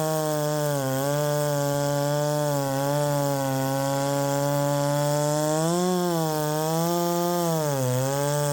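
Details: Ported Poulan 3750 chainsaw, after the loose exhaust was retightened, tune unchanged: the idle pitch wanders up and down every second or two, never settling. Richening seems to load it up.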